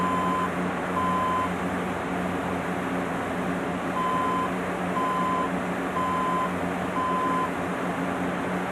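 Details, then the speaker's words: HP dc7600 SFF desktop at power-on: half-second high beeps, two, a pause, then four, over fan hiss; POST error code, which owner reads as possibly a power supply problem, not confirmed. "so let's listen to that beat coat again [Music] it's for so from what I read may be thought of for is a power supply problem"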